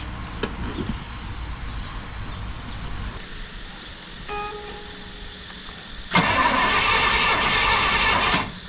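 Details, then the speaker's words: 1968 Pontiac LeMans cranking after sitting 23 years: starter churns at a steady, even rate but the engine never fires; a spark plug tester shows zero spark, kill switch suspected. "almost sounds like it doesn't have any spark yeah it so try maybe the kill switch"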